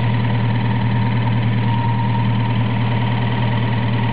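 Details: Toyota 4A-GE smallport with T50 gearbox, just after clutch replacement, idling: faint irregular ticking a couple of beats per second over the engine; owner rules out water pump and alternator bearings, cause unknown.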